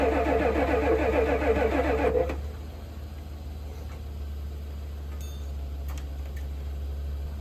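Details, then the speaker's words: 1988 Ford F350 7.3 IDI diesel, sitting since the 1990s, cranked on starting fluid: churns and coughs briefly, then drops off without catching. Fuel is in the filter but none reaches the opened injector line fitting, so no fuel delivery. "So I was able to get this fitting off, and I still have no fuel at it."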